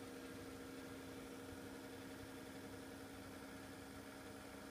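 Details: Corsair CX600M PC power supply: quiet steady fan hum with a buzzy, uneven rattle underneath.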